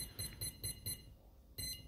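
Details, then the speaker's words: Skywalker 80A V2 boat ESC with reverse function, powered up with the transmitter throttle off its zero point: a short beep about four times a second, then a pause, repeating. The ESC won't arm because the throttle isn't at neutral. "okay so for the guys that pH me and say well my boat's not starting because you haven't put this back to zero and that's not on zero okay now you need to have neutral in both"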